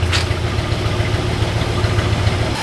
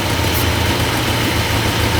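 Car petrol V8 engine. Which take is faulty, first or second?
second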